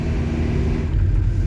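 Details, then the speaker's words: Restored camper van on road test near 80–90 km/h with new tyres in strong wind: steady low road rumble and wind buffeting, tyre noise even with no hum or whine; sounds slightly different from old tyres, acceptable. "mais pour le moment honnêtement au niveau du bruit des pneus ça va"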